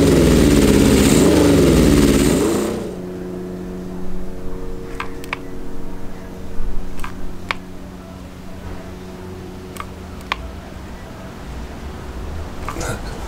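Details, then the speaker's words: Honda CB750 SOHC cafe racer after first start: uneven, lumpy idle about 3.5 beats a second with a hollow, lopsided note; cylinders 1 and 2 not firing and their exhausts colder than 3 and 4. Owner suspects the carb side, ruling out HT leads by swapping them; not confirmed. "not running on those two cylinders which should be nothing to do with the HT but I just want to rule it out first"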